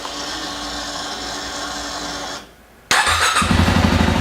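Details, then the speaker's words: 2017 Yamaha WR250R with EJK tuner disconnected: engine goes quiet, then fires straight up and settles into a steady quick idle; starts cleanly, whereas with tuner installed it died after starting. "you go folks it's gonna start every time"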